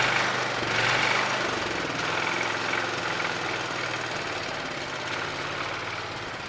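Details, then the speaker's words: John Deere 214 lawn tractor single-cylinder engine, first running after ignition points sanded and wiring corrected: catches and settles into a fairly even, quick patter, no misses or knocks; normal running. "but hot damn sounds like we got her running that's good"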